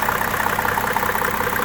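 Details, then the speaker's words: 1995 Mercedes-Benz E300 diesel (W124), inline six (owner believes OM606), hood open at idle: smooth, even beat with no rattle or timing chain slap; chain checked tight, no stretch, no blow-by; healthy diesel idle. "just listen to that no rattle no timing chain slap the timing chain is directly underneath here"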